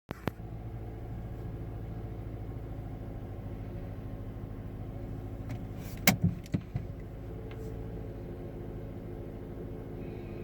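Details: 2009 Mazda 3 petrol engine with rough idle, low uneven throb, check engine light code P0123; spark plugs, ignition coils, MAF sensor and purge valve checked without finding the cause.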